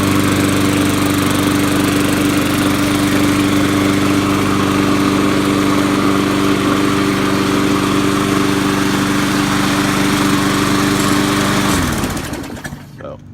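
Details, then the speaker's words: Poulan Pro Briggs & Stratton 5.50 engine on a Murray deck, trash-picked mower previously shaking badly from the blade; after a new blade, smooth even constant-pitch hum about twelve seconds with no shake, then it winds down. "previously it had was shaking a lot and it was the blade so I went and got a new blade now it doesn't shake"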